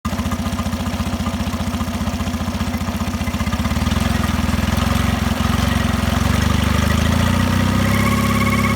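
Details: Mercury 9.9 Pro Kicker outboard at low rpm: steady low idle beat with a faint hum that firms up late; owner suspects a bearing noise, cause unknown.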